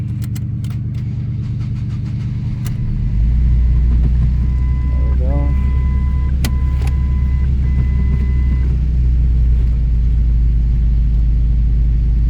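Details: 2007 Ford Focus after clutch install and slave cylinder bleed: steady low engine hum as clutch takes up and car pulls away, smooth running with brief tones, no knocking. Finding: normal running.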